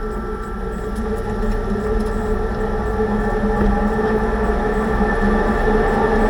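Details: 2006 Range Rover Sport after differential rebuild with new bearings and races, driving: steady droning hum with several fixed tones over road noise; owner suspects pinion preload set too high at 35 in-lb.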